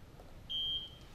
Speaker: you will hear one audible chirp and you will see a visual indicator the light next to that icon is illuminated to let you know the bed exit has been set